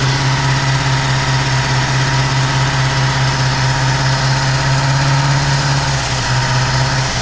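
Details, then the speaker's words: 1959 Plymouth Savoy with cheap replacement Carter-type carburetor: loud low idle with uneven, slightly hunting beat; runs but idles rough, vacuum leak suspected. "Le yeah seems like there's a vacuum leak um it ran though so that's good"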